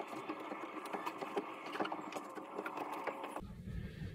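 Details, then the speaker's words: Boat inboard engine that had sat a long time and had no compression stroke: with the battery hooked up, the starter Bendix chatters trying to engage for about three seconds but never turns the engine over; suspected seized from sitting, unconfirmed. "And when I hooked the battery up to it, I could hear the Bendix trying to engage. It didn't turn the engine over."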